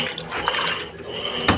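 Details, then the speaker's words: Electrolux washing machine during agitation after replacing a small bearing in the mechanism; earlier loud banging on agitation and spin is gone, only water sloshing and light clicks remain: normal agitation. "antes ela tava fazendo esse barulho é na hora de agitar tava um barulhão bem forte aí ó acabou o barulhão esse barulhinho aí é o normal dela"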